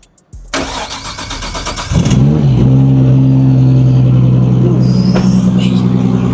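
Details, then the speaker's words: Nissan R34 Skyline drift car with RB30DET after snapped-crank repair and cam timing set: quick crank of about a second and a half, catches cleanly and settles into a smooth steady idle; healthy. "Obviously, the man has done his magic on this car. She's looking crispy. She's sounding crispy."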